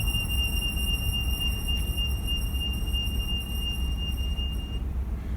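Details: 2017 Ford F150 driving: thin steady high chirp/squeal over road rumble, triggered by distance then speed, not engine rpm, persisting until about 4–5 mph; sounds like suspension bearing but apparently isn't; speed-dependent squeal.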